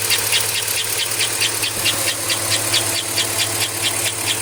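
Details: 2005 Chevrolet Avalanche at idle: a loud, sharp, high chirp repeating evenly about twice a second from the engine bay. The source is not yet found.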